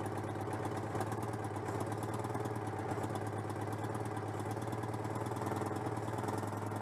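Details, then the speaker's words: Citroën 2CV (AZLP6) after fitting a centrifugal clutch: low, chuffing twin-cylinder idle with a slightly lumpy, uneven beat; owner suspects the unconnected crankcase breather is upsetting the engine, with leftover cleaner also present. Uneven running. "ah bah c'est pour ça aussi que ça tourne pas rond le renifle année par être raccordés du coup ça perturbe le moteur"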